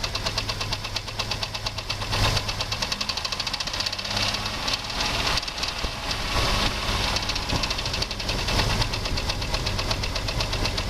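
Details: 2001 Jeep Grand Cherokee 4.0 straight-six idling: persistent light knock from front of engine, regular with crank speed, began suddenly after short park; loudest at exhaust manifold-to-engine joint, valves and belt-driven parts ruled out, oil fine; cause unknown.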